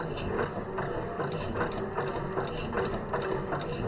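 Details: MK7 Ford Fiesta 1.0 EcoBoost salvage car that will not start, cranked with coil packs replaced by inline spark testers and the fuel pump fuse removed: the starter turns it over at about two to three pulses a second but it never catches.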